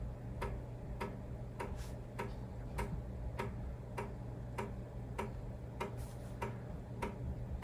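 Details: Amiga 1000 with Kickstart 1.3, running disassembled on first power-up: quiet, steady ticking about every half second over a faint hum as the empty floppy drive polls for a disk, which is normal.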